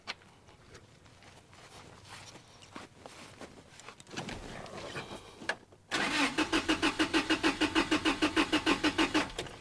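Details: 1996 Toyota Tacoma with customer-installed cheap parts; starter cranks steadily about three turns a second but the engine never catches; crank no-start.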